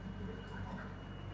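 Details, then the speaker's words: Yamaha 250 SHO outboard on Action Craft bay boat during sea trial, after sudden malfunction, possibly thrown rod; faint steady high-pitched warning tone over low engine rumble, alarm still sounding as motor normalizes; engine warning alarm sounding. "an alarm going off. Hold on. That sounds bad."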